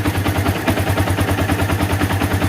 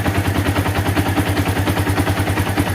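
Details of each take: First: Yamaha Vixion single after repairing rough chattering noise at left head near water pump housing, parts replaced and valves adjusted; steady idle around seven beats a second, chatter gone, slight rocker arm bearing tick remains. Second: Yamaha Vixion, after valve adjustment fixing left-side rattle near water pump: light, even ticking about three per second over steady idle from the head, suspected worn rocker arm bearing; connecting rod also detected rough.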